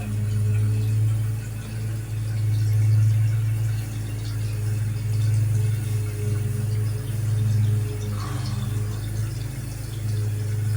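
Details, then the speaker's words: Shallow-well water pump restarted after six months idle, feeding a toilet: steady low hum with uneven surging and spitting as the lines fill; air still in the water lines, mostly working its way out. "tell there's still air in the lines put a pump turn back [Music] on most of the a seems to work its way out"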